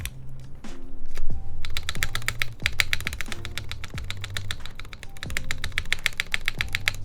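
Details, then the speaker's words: TGR Jane v2 keyboard on a UHMWPE plate with flex cuts at the mounting points, GMK spacebar: repeated presses each end in a dull, hollow low thunk under the clack, about one per second. The plate seems to be hitting something when the spacebar bottoms out (suspected). "Yeah, it definitely sounds like the plate's hitting something, right?"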